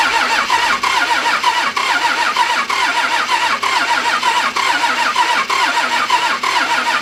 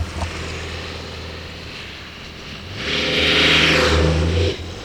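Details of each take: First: 1997 Dodge 12-valve Cummins, manual, wrecked front end, run without coolant: a steady ticking knock about once a second over the clatter right after start-up, fan out of balance striking something; rhythmic knock. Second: 1997 Dodge 12-valve Cummins 215 hp, wrecked truck: steady drone swelling smoothly under load, no knocks or misses; normal running.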